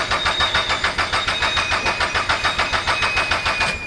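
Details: Turbo Toyota GR86 after fitting 1050cc injectors and a DeatschWerks 300c pump: steady cranking about three and a half beats a second, never firing, with no fuel pressure or delivery.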